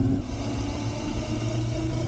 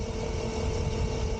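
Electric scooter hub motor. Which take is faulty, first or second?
first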